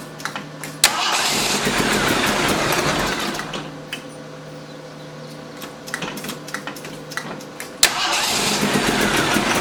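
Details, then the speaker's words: Rebuilt 258 with newly reinstalled Weber carb, timing checked at about 9 degrees: steady cranking, sharp backfire pops, a short ragged catch that dies back to cranking; starts briefly only after pumping the accelerator, won't keep running. "The engine will start briefly if I pump the accelerator multiple times. There is some slight backfire, though I've checked the timing, and at least as near as I can tell, it's at 9 degrees."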